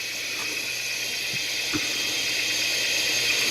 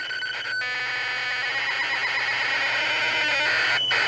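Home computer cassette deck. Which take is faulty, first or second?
first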